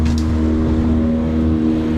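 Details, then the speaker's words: Small outboard kicker motor on a 2023 Duckworth 24 hard-top boat during a water test: smooth, even low drone with steady pitch, no misses or knocks; running cleanly. "So now we got the little kicker going good."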